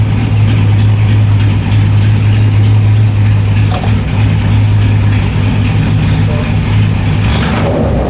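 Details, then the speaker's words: LS1 V8 in a BMW E30, just fitted with a new MSD 6014 box replacing the 6010, first start after a coolant temperature sensor alert: lumpy, stumbling rough idle; cause not found. "everything seems to be running all right it's around a little rough"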